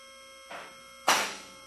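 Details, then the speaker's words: Advantage car lift on its first raise to the top, before lock adjustment: quiet motor hum with two separate metallic safety-lock clicks about half a second apart, not yet synchronized. "You'll hear the locks clicking as it's going up through each one of the holes. At this point, we have not adjusted them, so they're not clicking all at the same time."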